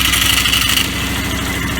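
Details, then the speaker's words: Polaris small single-cylinder engine that lost spark and died at idle now settles into a steady, even idle with spark after the ETC lever was adjusted to 1/16 to 1/8 inch of free movement. "we got spark she'll idle all day long like she's supposed to and life is going to be good"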